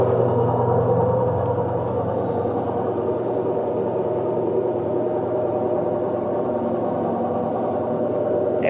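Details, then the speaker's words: LG washer-dryer spinning at 600 RPM: loud steady rumbling roar from blown drum bearings, compared with a quiet unit with good bearings at the same speed. "Essa máquina aqui está com os rolamentos estourados. Vamos colocar ela a centrifugar a 600 RPM e escutar o barulho."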